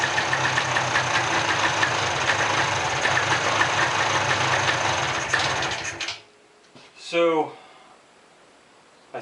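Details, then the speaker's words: Mid-90s (1995) Polaris ATV revived from a pile of parts: two-stroke runs busy and rattly about six seconds then cuts out abruptly; owner suspects the rev limiter kills the engine when throttle is released, needs throttle adjustment. "think because of the way this rev limiter works, it's killing the engine when I let go of the throttle. So, I'm going to have to adjust the throttle a little bit."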